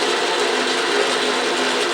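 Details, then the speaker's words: Autobox 8x16 mini lathe, new, carriage power feed running to the right with the rail locked: steady fine gear whir, even pitch, no knocks or grinding; power feed working normally. "Well, it spins now. Will it Let me lock the uh rail. And it is moving to the right. So, that's good."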